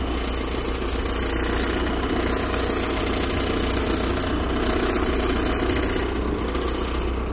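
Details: VW Golf MK4 TDI at a steady diesel idle, squealing in bursts when the steering wheel is turned left and right. The owner suspects the belt-driven components and replaces the alternator and belt.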